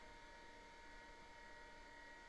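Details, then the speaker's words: IBM PS/2 Model 80 Type 1 (16MHz, 1987) full ESDI hard drive with separate controller; steady constant-pitch high whine over low hum, no ticking or grinding, big loud drive spinning normally. "It's that big, loud, I don't know if you can hear the whine with this microphone, of the big ESDI drive."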